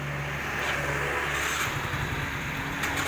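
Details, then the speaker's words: Yamaha Mio J (Mio GT type, 115 cc) scooter running low and uneven, faltering when throttled; stalls when revs drop and won't restart: clogged fuel injector stumbling the engine. "Jadi, Mio J atau Mio GT tersendat-sendat saat digas. Sekarang, Anda bisa mendengar suara mesinnya, tetapi mesinnya tidak akan menyala saat dihidupkan."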